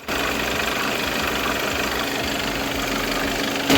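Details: Skoda B8 2.0 TDI EA288 (CRLB) diesel idling with its usual steady clatter, no belt squeal or chirp, after greasing the squeaky serpentine belt.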